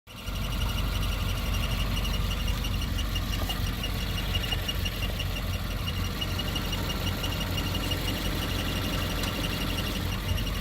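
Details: 2015 Subaru WRX at idle: steady rumble with a thin, constant chirping whir on top, a throwout bearing starting to fail.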